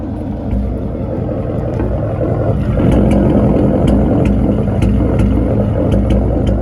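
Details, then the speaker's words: E85 bolt-on 5.0 V8, over 100,000 miles, after street runs: loping idle broken by sharp uneven pops over a low rumble; misfire, owner suspects worn coil packs and spark plugs. "You hear that? Those pops. My car over here misfiring right now."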